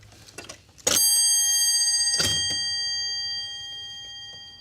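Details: Restored taxi meter, after repair: two clear strikes of its small bell ringing with a bright slowly fading tone, meter also ticking; the bell works properly.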